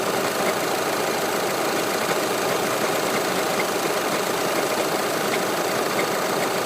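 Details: Audi A4 8K 2.0 TDI Multitronic, recorded outside with bonnet open at idle: steady diesel idle with dense even clatter over constant note, no rise or fall – extra idle noise of unknown origin.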